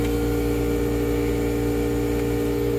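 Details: Old Marine Air HVAC unit on a Silverton 34 Convertible boat, which had burned up wiring three times, heard before replacement with a Webasto 16k BTU unit. Loud, steady, unchanging humming drone; noisy, worn running.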